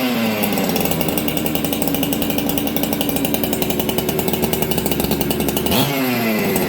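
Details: Ported Husqvarna 266XP chainsaw, first start in a year, shop near freezing: crisp high revs dropping cleanly to idle, restarts well, idle still slightly fast; normal running.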